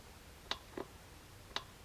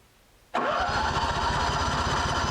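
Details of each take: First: Honda generator that sat about a decade with old fuel, mic by the carburettor fuel cut-off solenoid with key on: three crisp clicks as it pulls the pin back to let fuel reach the main jet, working properly. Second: Honda generator that sat about 7 years with old gas in the system, cranked with choke after carburetor work and fuel confirmed reaching it. Fast, uneven chuffing firing for about five seconds then dies; kicks but won't run.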